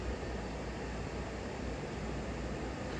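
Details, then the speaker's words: 1994 Hunter Comfort Breeze ceiling fan, 120 V, on low speed: soft steady airy hum, no ticking, wobble or buzz; runs smoothly, but broken capacitor leaves medium speed about the same as low. "This fan has a really nice low, but sadly since the capacitor's broken, the medium speed is just about the same."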